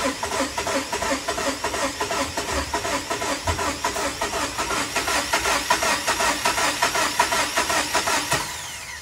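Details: Ram 1500 with 5.7 Hemi, remote-started after a new crank position sensor and cleared codes: steady cranking, about 2.5 compression pulses a second for eight seconds, never catches; crank no start.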